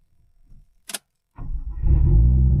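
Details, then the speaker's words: Lexus IS200 wagon with turbo build, started the next morning after engine work; single click, short crank, catches quickly and settles into a steady even run; normal cold start. "Damn, it starts. Perfect."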